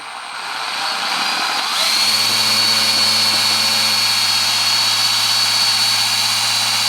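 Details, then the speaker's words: Parkside PBP B1 drill pump on a drill (max 2800 RPM), moving 10 litres of water through 4 m of outlet hose into a bucket: steady high drill whine over constant churning water; normal pump operation. "Oh yes. At the empty bucket we can see, and the grace is from the pump. The pump is working for the first time."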